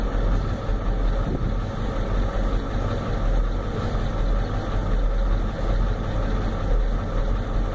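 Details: 1993 Ford F-250 7.3L IDI diesel, warmed up, new injectors, O-rings, return lines, glow plugs tested, good compression: heavy lumpy idle shaking badly; injection pump or injectors suspected, not confirmed.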